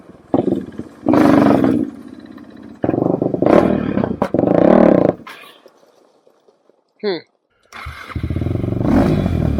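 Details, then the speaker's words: 2007 Suzuki Quadracer LTR450 that won't take throttle: engine catches in short ragged bursts that flatten and drop away instead of revving, backfiring; fuel starvation, a clogged fuel filter, before its removal. "Feels like it's taking no fuel."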